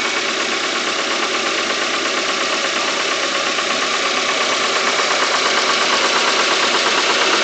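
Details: Engine on RON95 fuel with NGK Iridium spark plugs: fast, fairly even light tapping about three per second over a hissy idle. Owner unsure whether it is engine knocking or an IAFM problem.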